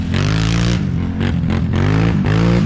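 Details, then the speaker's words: Yamaha YFZ450R quad with freshly installed new engine, first ride: loud smooth engine rising and falling through revs, clean even exhaust, no knocks or rattles; healthy. "Looks like that 850's running really good. I think Brandon will be impressed with that. Sounds good."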